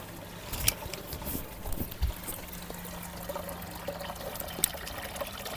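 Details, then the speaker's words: LG washing machine in hidden service test mode, drain-pump test at the 12th button press: water gurgles and trickles, then a steady low pump hum as the drum empties; the frequency reading rises until fully drained, normal drain pump operation. "جیسے جیسے پانی نکلتا رہتا ہے، frequency بڑھتی جاتی ہے اور یہ اس وقت تک کرتا رہے گا جب تک کہ مشین مکمل طور پر خالی نہ ہو جائے۔"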